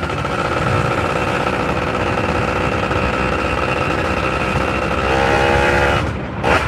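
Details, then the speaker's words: Yamaha F1ZR two-stroke, which is hard to start and vibrates, revved on its stand in first gear: a steady high buzz that cuts off abruptly at the limiter, reached after only about 50 m versus about 75–90 m on a stock F1ZR; early rev-limiter cut. "ini kalau lagi dijagang nah ini tadi sampai di sini tok berapa meter 50 meter kayaknya cuma 50 meter gigi satu limit"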